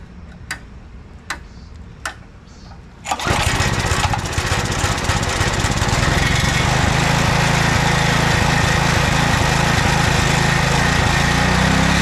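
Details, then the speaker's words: 2007 McLane reel mower after carb cleaning, warmed up, choke off, run position: a few pull-cord tugs, then steady even fast high idle with no misses or surging. "Choke is off. It's in the run position, and we're at high idle, fast speed."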